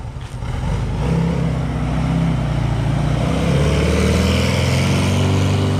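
Engine catches within a second and settles into a steady, even idle with a deep low rumble, no knocks or misfires; healthy cold start.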